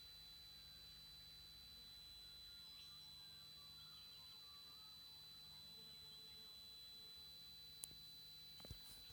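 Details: Tristar TS-MPPT-60 solar charge controller: thin, steady high-pitched whine at constant pitch; squeals about 15 minutes mornings and evenings and loudly during MPPT-to-Absorption transition, cause unknown.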